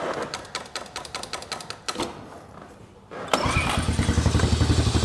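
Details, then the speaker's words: 2003 Honda TRX 90 ATV, saved from the dump, cold start on choke: clicks and cranking, then it catches and settles into an even, quick, steady idle; normal cold start and idle. "heck yeah take it off the choke this little thing hers baby sounds pretty good"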